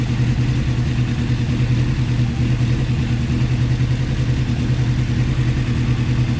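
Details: Carbureted Honda CBR600F3 at warm idle without choke, while exhaust gas temperature is measured per cylinder: loud, slightly uneven lumpy beat; readings differ widely between the first two cylinders and the others, suggesting uneven cylinders.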